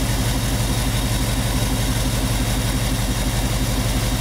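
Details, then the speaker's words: 1998 Chevy van 5.7 V8 with constant multiple-cylinder misfire, idling during a plug-wire cylinder drop test: a brief loping RPM dip as one plug wire is pulled and replaced, showing that cylinder fires properly; cylinder balance test, RPM drop on good cylinder. "Go back and forth with the plug wire so you can listen to it. Yeah. Yeah. That's a good one."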